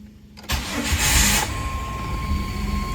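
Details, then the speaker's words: Jeep WJ after a new oil pressure switch and high-mileage synthetic oil change: short crank, then it catches at once and settles into a steady, even idle with no misses; normal start, though a check engine light is on. "started right up. Okay, as you can see, I do have an engine light, so I'll have to find out what caused that, because I didn't have one the last time, right before I shut it down to work on it. But anyway, I'm gonna let it run for a while, running fairly smooth."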